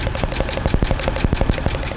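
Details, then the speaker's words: 2005 Dodge Ram 2500 with P0301 cylinder 1 misfire code: uneven idle with sharp ticking about seven to eight per second over a low rumble, like an exhaust-leak tick; coil sparks, so not ignition. "like an exhaust leak kind of a tick but uh that may possibly be an issue"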